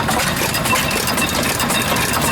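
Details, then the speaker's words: Cockshutt twin-cylinder antique stationary engine at idle on a trailer at the 2019 Georgian Bay Steam Show, Cookstown, Ontario: steady, even chuffing with no knocks or misses over crowd noise; fairly well behaved, runs healthy. "Fairly well behaved too. Huh. Very nice. Very nice. That's a twin cylinder. I have never seen one like that."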